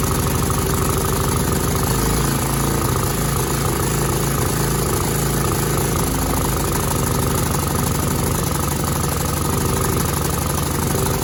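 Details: Cub Cadet 2166 mower, 16hp horizontal Kohler Command single-cylinder engine, running after a new fuel pump and a replaced brake spring switch activator. It needed priming with fuel poured in the top and runs steady and even, with no misses or surging. Sounds good.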